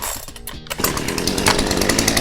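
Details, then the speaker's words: Power Plus chainsaw, primed with the fuel pump, choke pushed back in, chain brake off: a short pull-start cough, then it catches and settles into a steady, even buzz; normal start and run. "Now you're ready to start your chainsaw."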